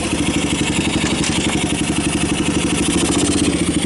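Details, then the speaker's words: 1990 Kawasaki Bayou 220 ATV, cold start after carburetor replacement and recoil starter rebuild, compression good: even single-cylinder putter about four beats a second, clean with no misses; healthy idle, charging the battery, slight smoke. "now it's kind of a matter of actually sounds good oh it's even charging the battery"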